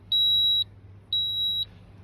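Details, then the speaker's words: Toyota Altis with factory CNG: when switched to gas, high shrill beeps repeat steadily about half a second on and half off, warning that the gas ECU is locked; fixed by remapping the gas ECU. "อาการของเา้าคือเราปลดเข้าแก๊สแล้วมันจะร้องตี๊ดๆอ่ะเมถ่ายตรงนี้ให้เห็นหน่อยครับแก๊สมันจะร้องแบบนี้นะ"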